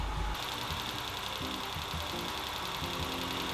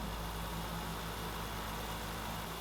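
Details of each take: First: 1993 Land Rover Defender 90, 2.5 L turbo diesel, first run after new fuel pump: steady idle with light quick ticking in time with the engine; valve tick, valve job planned, owner hopes not oiling or bearing issue. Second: 1993 Land Rover Defender 90, 2.5 L turbo diesel, after valve clearances adjusted with feeler gauge: steady even low hum, smooth unbroken idle with no ticking; tick gone, runs much smoother.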